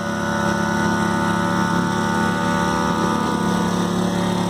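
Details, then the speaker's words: Ryobi RYi911LP/RYi900LP propane inverter generator running an air compressor load; steady even drone with no hunting or knocks, only slightly louder than at idle, far quieter than the compressor; normal running under load. "I mean it's a a little a little bit louder than it was at Idol with the load on it but boy it's uh not significantly so this thing could be great for camping"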